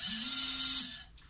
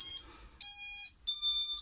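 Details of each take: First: Xing 2207 brushless FPV quad motor before bearing replacement, spun up on the bench: short spin-up with steady mid-pitch whine under a harsh, high, gritty hiss that stops when it stops; worn bearing. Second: XING 2207 brushless FPV quad motor after replacing bearings with 684ZZ 9x4x4; two short, clean high-pitched whines with steady pitch, no rasp or rattle, sounding better already: normal motor run.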